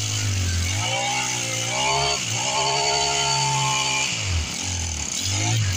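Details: Husqvarna 324L four-stroke trimmer, three or four years old, with recurring no-start, after replacing the carburetor: starts easily and revs up and back down cleanly several times with a steady buzz; running properly.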